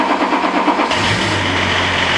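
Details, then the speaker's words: Range Rover P38 barn find under mechanical check-over: the engine catches and settles into a busy idle with a raspy whirr over the hum. It sounds rough; the cause is suspected, possibly a commonly cracking plastic part, but not confirmed. "Sounds rough, doesn't it? Sounds smooth. Doesn't sound good at all, does it? It does sound rough, doesn't it?"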